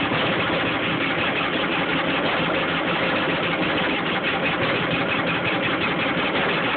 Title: JS 550 won't start.